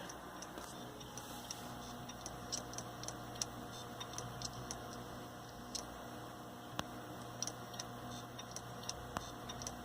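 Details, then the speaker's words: Hard drive in a software RAID1 array on a Ryzen 3 Linux build, failing while being replaced: sharp irregular ticks, a few per second, over a low steady hum, clicking that grows worse the longer it runs. "That's really bad, man. I feel like we should open this drive and take a look at it. It doesn't sound good, I'll tell you that. This drive sounds worse and worse the more I leave it in this computer."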